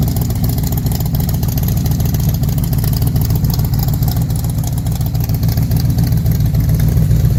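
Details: Factory Five MK4 with V8, new GP headers and Factory Five side pipes, revving after install: deep, even rumble with clean throttle blips, no ticking or puffing; exhaust leak fixed, healthy sealed exhaust.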